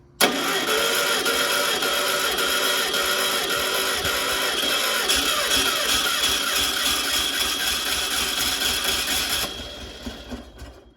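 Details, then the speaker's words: Sat-for-years 1600 dual-port VW engine (mileage unknown) for a 1969 Karmann Ghia, electric fuel pump unused. Steady fast cranking, about four turns a second, nine seconds with no firing. Fuel reached the filter but none seen from the carb; won't start. "I got fuel in the filter, but not seeing any coming out the carb yet."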